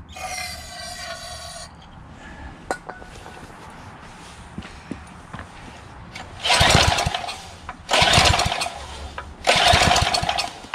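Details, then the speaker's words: Craftsman 3 HP Tecumseh lawn edger, half throttle, starting fluid sprayed through carburetor into intake manifold: engine bursts into life about a second three times then dies; fuel not reaching it through the carburetor. "oh it is igniting you hear it there we go let's try this out some more spray some more fluid through the carburetor into the intake manifold"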